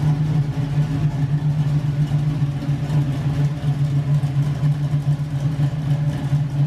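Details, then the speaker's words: LS-swapped Camaro with big cam, first drive after transmission rebuild, brakes weak: deep steady rumble with an uneven loping beat about once a second; big-cam V8 idling smoothly, nothing amiss. "hopefully that's all it is but man this thing sounds so good"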